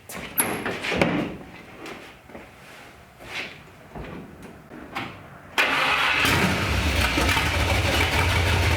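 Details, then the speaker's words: Engine swap built from three or four trucks, first run on a carburetor with open headers: quiet clatter, then it catches at about 5.5 seconds into a loud, steady, even rumble; ignition, carburetor and motor sound good. "thank God the ignition and the carburetor are good and the motor sounds good"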